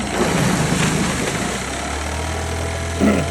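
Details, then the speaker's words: Used Honda 9.9 outboard (coil MP-05), previously no spark until coil removed and refitted; after reconnecting coil it starts and settles into a steady, even low idle with no misses or knocks. Cause of intermittent no-spark unknown. "great still switch works great that is the third or fourth time I've been able to reproduce that"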